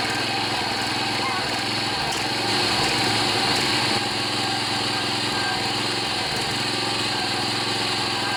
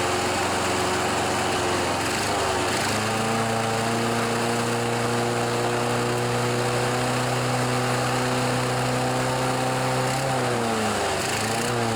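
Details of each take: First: John Deere 14PB self-propelled push mower with Kawasaki 5.0 hp OHV engine, after carburetor clean and rebuild of plugged slow and main jets: runs smooth and steady at constant speed, no misses or surging. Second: John Deere 14PB mower, Kawasaki 5.0 hp OHV, sat outside, after carburetor clean: engine steps up, holds, then sags and wavers, rough surging throttle; smoothed with blades engaged, carb fine, choke may need adjusting.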